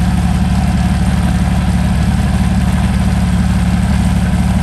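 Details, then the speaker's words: Meteor Interceptor, first start after complete rewiring to new engine management, car jacked up for gearbox test: deep, even idle with fast regular firing beat at constant speed, no smoke, smooth and strong; normal idle. "no smoke no smoke sounds very nice really nice smooth and strong yeah gearbox worked as well"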